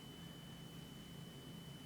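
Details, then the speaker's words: 2010 Chevy Silverado with codes P0449/P0455: EVAP vent solenoid commanded closed via scan tool, only a low steady hum and faint whine, no clack, so the solenoid has failed. "When you have a working solenoid, you can hear, these solenoids are pretty loud, you can hear it go on and off like clack clack. So I don't hear anything."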